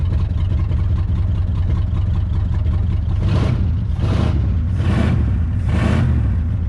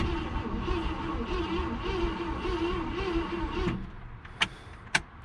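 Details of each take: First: 1966 Ford Galaxie, 352 V8 with factory four-barrel and Cruisomatic automatic, first start in 26 years after being seized: deep, steady V8 rumble with brief revs, idle settling evenly. Normal running after long storage. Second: 1966 Ford Galaxie, 352 V8 four-barrel with automatic, formerly seized and not run in 26 years. Points sanded and fuel poured down the carb. Starter drags slowly and unevenly for about four seconds, never fires; owner suspects no spark or a bad coil.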